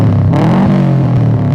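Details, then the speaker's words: 2006 Subaru WRX STI with 150 psi compression on every cylinder; owner suspects valve stem seals or turbo seals for its smoking. Once the wheel speed sensor check-engine light comes on, it barely idles and hits a 5,000 rpm limp-mode rev limiter, cutting about twice a second. "the second that the check engine light comes on for that wheel speed sensor the car hardly idols and then it does that 5,000 RPM rev limiter again"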